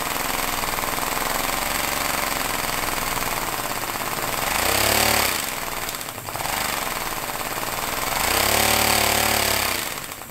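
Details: Homemade compressed-air engine at 50 psi with a small lever-operated diaphragm-valve throttle: rapid chuffing pulses that speed up and rise in pitch twice, then fall back, following the throttle; normal running under throttle control.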